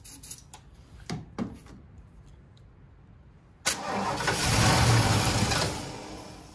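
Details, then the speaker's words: Ford 460 big block in a 1976 Lincoln Continental, 41,000 original miles: several weak sputters and pops, then it catches, roars briefly and fades; not pulling gas from the tank (two fuel lines), fuel starvation. "so try not to flutter out here she ain't pulling no gas though there's two gas lines on this thing too coming from the tank"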